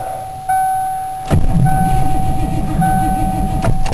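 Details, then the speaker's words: Ford Crown Victoria no-start: chime, then the starter turns the engine slowly and laboriously in uneven pulses, no catch, battery draining; owner suspects the starter draws too much current, unconfirmed. "yeah he cranking over a little faster now but it's cranking over a lot slower than it really should be"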